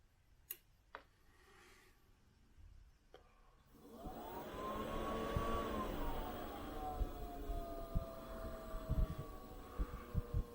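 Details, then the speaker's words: Modified Chinese diesel heater with a fresh fuel pump, primed and test-run from a Mercedes battery: quiet pump ticks, then the fan whirs up to a steady tone as the burner lights. A clean, normal start-up. "the heater itself is running so we'll let it um warm itself up and then we'll see what it's like when it's running producing heat and what noise it makes so the burner is now started so it start to produce heat in a minute"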